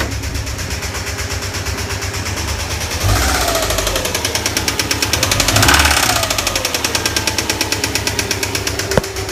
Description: 2008 Subaru sti spun bearing. Going to need engine rebuild.